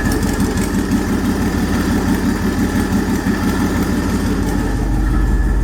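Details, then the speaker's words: 5.3 V8 swapped into a Chevy S10, mixture leaned out using a wideband after it ran too rich; steady even idle rumble at constant speed with no misses, stumbles or knocks: normal idle. "right up runs pretty great pretty happy with it"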